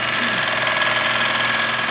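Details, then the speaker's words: Bowl gouge on a lathe, half-inch gouge making a slow finish cut at the bowl rim: fast, even clicking over the cutting hiss as the gouge bounces between long grain and end grain. "there you can hear that clicking sound that basically is what's happening is you have long grain short grain or end grain side grain and it's uh it's coming off of one grain and bouncing across another Grain on there"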